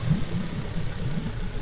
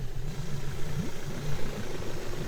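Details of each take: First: Suzuki DF70A four-stroke outboard idling after a cheap coil pack wiring repair fixed a consistent misfire: low, even burble with no stumbles or skips; runs smooth on all cylinders. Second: Suzuki DF70A four-stroke outboard idling unevenly with a lumpy, stumbling beat and heavy shaking, worse when revved; consistent misfire suspected from failed spark plugs.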